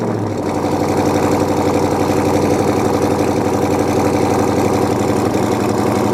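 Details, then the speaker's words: Fox body car idling: deep, loud V8 idle with an uneven lumpy chop, about four beats a second and steady throughout; normal big-cam lope. "Let it idle, and if from there we're gonna head to AutoZone, and you can hear the chop."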